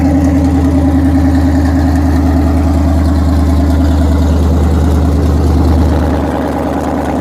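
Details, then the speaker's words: 2010 Dodge Charger Pursuit police car, first start after Texas Speed stage 2 cam install, exhaust not yet fitted: loping V8 idle slightly high, uneven big-cam exhaust pulse, no more ticking or clicking, engine light on; normal. "No ticks, no clicks, baby. Running perfect. You hear the cam."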